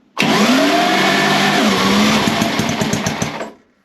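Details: Gilera 124 single-cylinder motorcycle with electrics needing lots of work, with clutch, throttle and choke worked together: catches and runs a few seconds with quick, slightly uneven firing before cutting out; ignition and compression working.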